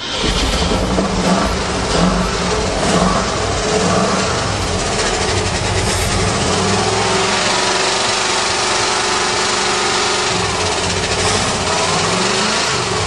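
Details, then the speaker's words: 1935 Mercedes stored 7 years, just started: lumpy, uneven running with stumbling beats, seemingly on only four or five cylinders, with heavy smoke; misfire, cause unknown, spark plugs suspected. "it sounds like it's only running on about four or five cylinders"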